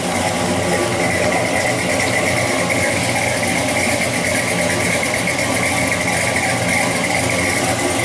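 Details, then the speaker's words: 1968 Chevy Chevelle with carbureted LS 5.3 V8, after water pump and clutch fan replacement: steady even running with constant hum and light fan-clutch rush, no knocks or squeals; sounds healthy. "yeah not too bad I thought you'd hear you know what kinds of fan clutch wind noise but I'll live with that"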